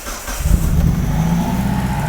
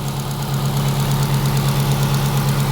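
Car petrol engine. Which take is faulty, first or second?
second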